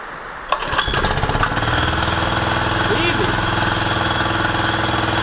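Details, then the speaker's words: Jumping jack tamper first started after new fuel lines and fresh gas; its carburetor reportedly spilled gas into the oil, suspected stuck float. The small single-cylinder catches and settles into a fast, even chatter; it runs well, though later not quite right. "now i'm gonna try to start it up okay my gimbal went completely haywire so i'm going to try this again but it seems to be running really well i'm actually pretty surprised"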